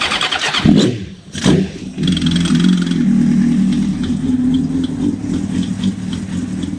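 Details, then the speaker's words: 1996 Suzuki GSX-R 750 SRAD track bike with Keihin FCR39 flat-slide carbs and big main jets, warm after about 100 km today: fuel pump primed, cranks, catches after sharp blips, settles into a steady, loud, healthy idle. "You can see it. It sits there and idles pretty well. So yeah, you can see it's a pretty awesome little beast. It's bloody loud, which I don't really mind."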